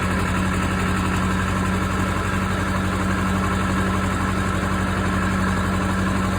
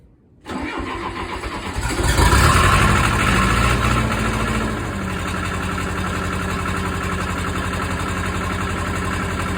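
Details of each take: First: Case 450B dozer with 207 diesel, first start after the rebuilt injection pump is installed (removed for fuel mixing into the oil): even, steady diesel clatter with no misses, but idling a bit high. Pump needs idle adjustment. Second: Case 450B dozer, 207 diesel, just after reinstalling rebuilt injection pump (removed because fuel was mixing into oil); short crank, fires near two seconds, settles into steady even idle running slightly high, needing adjustment.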